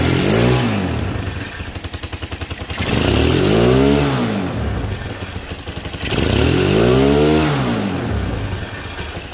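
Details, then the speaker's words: Motorcycle revved four times with a harsh buzzing rattle swelling with revs, like a phone vibrating on a wooden table, vibration felt when riding; loose engine mount bolts. "presenta un problema de un ruido terrible a la hora que nosotros aceleramos el ruido es tan idéntico a un teléfono cuando está vibrando encima de una mesa de madera"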